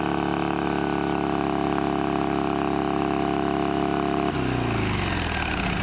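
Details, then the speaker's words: Shovelhead V-twin chopper with new S&S knockoff carburetor and new fuel filter: runs fast and steady around 3000 rpm even with idle screw fully out, no real idle. "we got it started up and it runs but the problem is is even with the idle screw completely turned out it's revving up to you know 3000 rpm or something it's you know it's acting like it's at full throttle when it's barely at idle"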